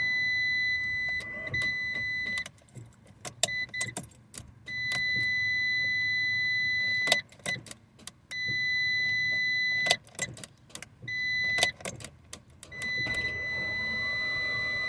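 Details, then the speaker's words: 2012 Fiat 500 at 111,164 miles, after battery charging: several short bursts of steady starter cranking over a constant warning chime; the engine turns over but never fires. "Well, it turns over."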